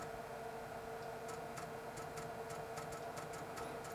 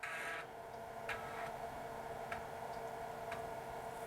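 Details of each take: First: Replacement floppy drive of the same model in a Dell 486P/20 (486SX 20MHz) on cold boot: quick bursts of sharp seek ticks, about two a second, over faint hum; it sounds faster than the Panasonic drive just taken out, heads moving quicker, a healthy seek. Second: Dell 486P/20 (486SX 20MHz) floppy drive reading a disk: sparse, evenly spaced clicks about once a second; access sounds roughly half normal speed, not an energetic drive, possibly just this particular unit; cause unconfirmed.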